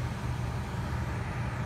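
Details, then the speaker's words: Furnace forced-air blower running after fan switched on at the HVAC control: steady, low, even rumble of moving air with no knocking, rubbing or wobble; normal operation, control works. "the sound of the forced air unit it's on right now"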